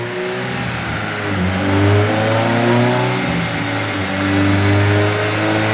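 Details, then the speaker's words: VTEC engine on dyno, first pull after cleaning injectors and inline fuel filter and changing crank position sensor: revs hard but the note flutters and stumbles, misfire under load; owner suspects VTEC engagement issue or fueling. "it's doing it again hear that little flutter something's wrong hear it kind of stumble it's like almost like staying in v-tech again still like on idle right either that or a fueling"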